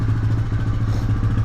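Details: 1999 Honda FourTrax TRX300FW 4x4, warmed up, after turning idle screw up from near-stalling: low, steady single-cylinder idle thump with no stumbling or hunting, running evenly.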